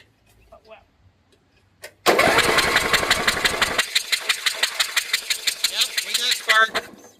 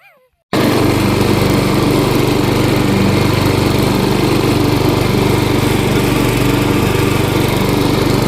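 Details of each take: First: 12 HP Briggs & Stratton flathead, reinstalled after sump and PCV gasket replacement: steady cranking about three turns a second with no firing. Spark is present and the plug is not oily; suspected to be something knocked loose in the carburetor. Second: 12 HP Briggs & Stratton flathead after sump and PCV gasket repair, choke off at idle, then full throttle: steady, even single-cylinder beat with no misses or surging. Not leaking; normal running.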